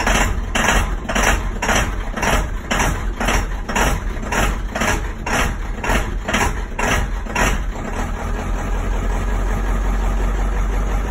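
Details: Ford 7.3 Powerstroke diesel, cold at startup: an uneven, lumpy idle pulse about twice a second that smooths out after a few seconds. Misfire-type roughness; cause unknown.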